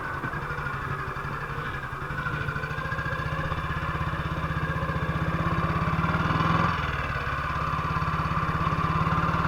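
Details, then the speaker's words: 1958 BSA C12 single-cylinder on a road test after a misfire fix; the misfire had earlier caused a breakdown, and the battery tested fine at 6.3 V. Thump pulls steadily, building with road speed, with no dropouts or stumbles. Misfire gone: normal running. "but it went all right sounds like it used to so for the misfire"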